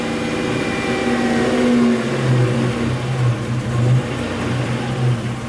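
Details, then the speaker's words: 1984 Buick Grand National, warmed up, under throttle; it goes rich, running rough and misfiring with a lumpy stumbling pull, the source of its rich exhaust coating. "ooh real rough now so it's misfiring see you drop"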